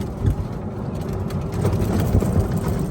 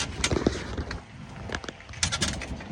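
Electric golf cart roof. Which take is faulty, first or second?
second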